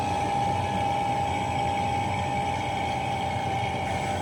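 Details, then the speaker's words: Vacuum pump evacuating a cafe cooler's refrigerant system after a leaking suction-line service valve was replaced: smooth, even hum with a steady high note, no gurgle or labouring; deep vacuum reached. "Okay guys, that's the sound we want to hear. Our vacuum pump has done its job. We are in a good deep vacuum."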